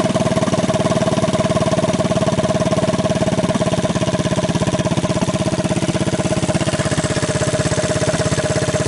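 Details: 1983 Honda ATC200 single-cylinder, budget top-end rebuild with used cylinder and rings and damaged valve seat, started half-choked: steady, even putter about two beats a second; the engine idles normally.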